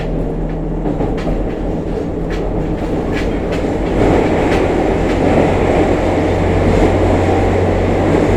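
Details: JR Kyushu 303 series K01 set, car 4 MoHa 303-1, recorded above the Hakata-end bogie on a rapid service between Shimoyamato and Hatae with a built-in recorder mic. Steady low growl and rough throbbing rising with motor speed: abnormal traction motor growl and heavy vibration, cause unknown.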